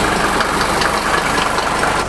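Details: 1983 Mercedes W123 300TD, OM617 diesel, after mechanical lift pump rebuild and priming, warm from garage: even clatter settling straight into steady idle, no stumbling or misses; previously stalled from fuel pressure bleed-down, now healthy, no leaks.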